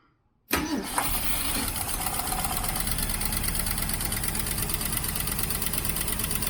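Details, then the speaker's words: 1967 Ford Mustang 390 V8 with Holley carburetor: fires after short crank and settles into a steady lumpy idle while the float stays up and bowl is full; intermittent fuel starvation, float suspected of sticking down, vacuum leaks also present. "look at that huh look at that when the float stays up it idles fine"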